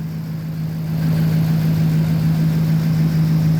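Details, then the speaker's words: Engine at 208,935 after motor work (cam, lifters, new oil pump) with Diablo tune, first start: smooth, steady low idle with even exhaust note, no ticking or shake; healthy, only tire pressure light on. "No lights on the dash but the tire pressure. Listen to that motor. Sounds great."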